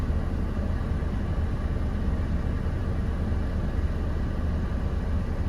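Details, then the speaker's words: 2011 Ford Transit Connect after water pump replacement (whine likely from the bearing), heater on, warming to mid temperature: smooth even low rumble, no stutter, steady about 900 rpm; normal idle where it previously stuttered constantly. "this is the first time that since i've owned the damn thing that it's actually been purring like a goddamn kitten and on top of all of that my rpms are holding steady at about 900 rpms"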